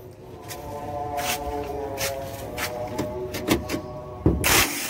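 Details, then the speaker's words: Mitsubishi Canter truck starter motor whirring freely with sharp krak-krak clacks while the engine never turns over; worn, slipping bendix gear diagnosed, fix is replacing the bendix gear. "Ya ini ya, perhatikan untuk perbaikan dinamo starter mobil canter ya, bunyinya itu krak krak gitu ya, atau ser ser ser gitu, kadang krak kadang ter ter ter gitu."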